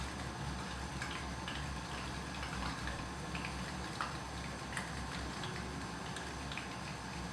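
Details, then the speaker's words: WB HY 10000 pump on first run, 2 gallons fresh water added to about 10 gallons to lower salinity and make bigger bubbles: quiet hum with faint, irregular ticks about every second. Air bubbles hitting the impeller; pump otherwise nice and quiet. "Now just add 2 gallons of fresh water to about 10 gallons here, so I've got a lot less salinity, and I'm going to have some bigger air bubbles."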